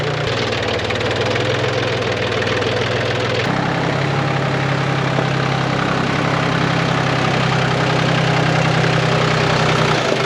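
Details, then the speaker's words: 1981 VW Rabbit/Caddy pickup with a swapped-in turbo diesel at fast idle. Clatter hardens on throttle blips with an occasional ping: diesel knock remains. Owner expects it to clear up, otherwise the injectors will be replaced. "If you gave it a little throttle, it'd ping a little bit here and there, but I think it's gonna clear up nicely."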